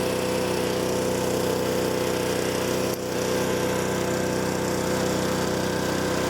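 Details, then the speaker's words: Honda HS520 snowblower Honda four-stroke with new OEM carburetor after fuel starvation, governor adjusted, warmed up: steady even drone with no hunting or surging; governor working, throttle plate floating properly. "Took just a minute to get it to warm up a little, but you can see now that governor is working perfectly and the throttle plate is standing on its own."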